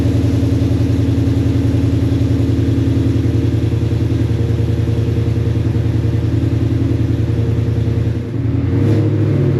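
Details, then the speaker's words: Foxbody Mustang restomod, Gen 2 Coyote V8, after flashing the base tune and reinstalling the fuel pump relay: a steady, even idle with a deep, regular beat and no misses. The earlier stumble appears fixed. "All right, I actually think it fixed my uh my stumble."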